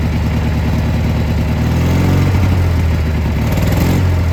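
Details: Gravely G-16 tractor, unrun for a few years, now running on its own fuel: deep even twin-cylinder rumble with slight rev rise, no knocks or misses; runs and drives pretty well, smokes a little.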